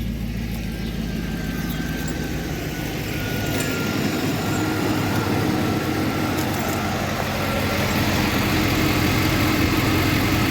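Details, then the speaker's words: Federal-emissions Chevrolet Tahoe V8 after tightening exhaust to fix a leak for emissions: even, smooth low idle rumble with no ticking or puffing; exhaust leak gone, normal idle. "You can not even hear that leak anymore."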